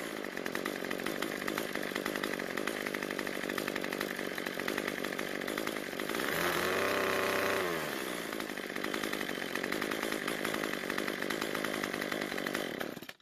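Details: Cub Cadet two-stroke trimmer that died at idle, after turning the carburetor L screw about a quarter turn counterclockwise to richen it: steady buzzing idle holds, picks up cleanly to a high whine on throttle, drops back smoothly; running properly.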